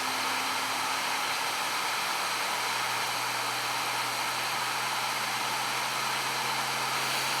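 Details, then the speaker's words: New Flashforge Adventurer 5M 3D printer running its post-leveling vibration calibration, side to side, with the owner's hand on it: a steady hissy buzz with a low hum, like an out-of-balance fan. The cause is suspected, not confirmed. "there it's vibrating so quickly now it's just buzzing can you hear it almost sounds like an out of balance"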